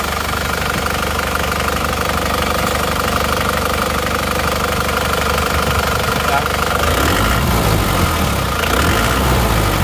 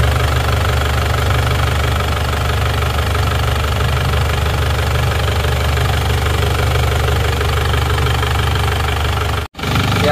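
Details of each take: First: Isuzu Panther diesel before rebuild, smoke from the oil filler cap, weak on hills: rough, uneven idle chuff and knock about three beats a second; compression leak suspected from worn piston rings or liners. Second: Isuzu Panther diesel after engine overhaul for blow-by smoke and oil spraying from filler cap and dipstick: deep, even idle with steady low rumble and light clatter, no irregular knocks; smoke gone, running smooth.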